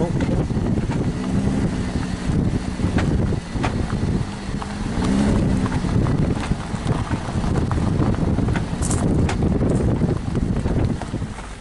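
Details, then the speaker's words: 2003 Nissan Murano with CVT, driving at about 15 mph: irregular popping and knocking under road rumble, binding when driving; suspected bad transfer case, not the transmission. "Okay, driving this is making a popping noise, almost like the transfer case is bad."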